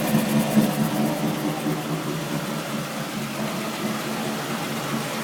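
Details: Steady even-pitch low hum over road noise while rolling, from diff/driveshaft/wheel hub area; tail shaft replaced, diff newly reconditioned, noise with either wheel rolling; owner suspects diff pinion or carrier bearing.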